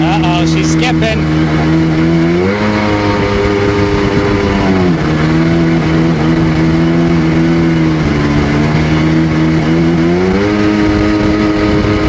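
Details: Rebuilt Sea-Doo GTX DI 951 two-stroke on the water; pitch climbs and drops, stumbling at 4200 rpm as RAVE valves open; reaches full rpm so valves open; top end good; owner suspects an odd, expanding RAVE hose.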